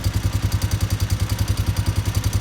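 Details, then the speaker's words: Honda Rancher ATV no-start after fitting a new neutral safety switch with new sealing washer: neutral light on and it fires right up, single-cylinder settling into an even steady thump about eleven pulses a second, no misses, normal idle. "we've got our neutral light and fired right up so hopefully this is set"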